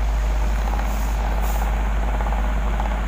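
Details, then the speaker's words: Bearing-converted electric fan (688ZZ/MR148ZZ type): steady heavy low drone with faint rattle from a loose bearing moving in its seat; fix is gluing it between the washers. "yan ganyan din po loose bearing po yan tsaka po yung shtick Yan po ang problema niyan gumagalaw po ang bearing"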